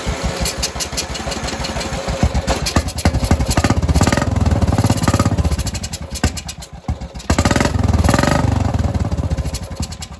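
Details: Vehicle with aftermarket carburetor, battery charged, running on choke: small single-cylinder popping unevenly at a fast stumbling rhythm with surging; only runs with choke on, owner suspects the carburetor needs cleaning.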